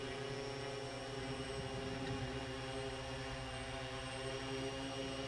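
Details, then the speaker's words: VTOL aircraft on ArduPilot 4.6 QuickTune, hovering about 8–10 feet high as gains are gradually raised: steady multi-motor hum gains a buzzy, wavering vibration; gains too high, loop oscillating, tune then backs the gain off (likely D first). "It takes a while because it's gently increasing the gains. Now that vibration has happened, it's going to pull back on the gain for that particular piece and it's going to increase the gain."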